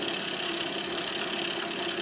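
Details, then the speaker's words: Monroe LA-5 motorized mechanical calculator powered for the first time in decades: a steady high whirr with governor sparking crackle as it comes up to speed; it runs acceptably but seems to drag on something. "I think we're up to speed. Seems like it might go a little faster than that, but hey, it's running! First time in decades. That doesn't sound too bad now."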